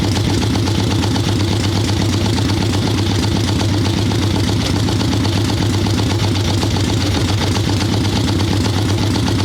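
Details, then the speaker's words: Harley ironhead Sportster XLCH chopper V-twin, Mikuni VM38 carb, cold wet day, idling on choke with fresh plugs: loping, uneven, sluggish idle with steady low thump, boggy; mixture far too rich, owner suspects more than the carb. "A little boggy for sure. She's not happy at all. That almost didn't sound just carb to me."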